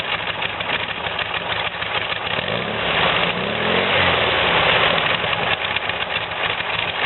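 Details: VW air-cooled "new" replacement engine after carb cleaning and jet replacement, still on break-in oil, with a quieter new exhaust. Steady air-cooled idle chatter with a brief smooth rise in revs and no stumbling. Normal idle.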